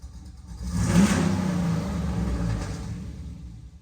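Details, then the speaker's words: Dad's Jeep, just back from the tuner, revs hard on blips but sags and dies at full throttle while 7/8 throttle is fine; a plug had just been reconnected to fix a miss, and a fuel problem is suspected but unconfirmed. "No! It's literally like 7/8 is fine, but full ain't. That's weird."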